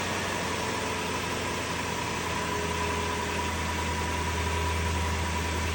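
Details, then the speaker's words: 2002 Lexus LS430 on restart: smooth even idle with low steady hum, a lot quieter, no whistle riding over it, though stereo whine with Bluetooth remains. "That seems a lot quieter. Seems a lot quieter."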